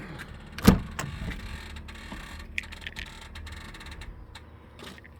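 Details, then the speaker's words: 2003 BMW X5 starting up: sharp clatter at cranking, then low even rumble with a few light rattles that go away within about 2 seconds; source unknown. "you might have caught there was a little bit of a rattle there as it started and that went away within about 2 seconds"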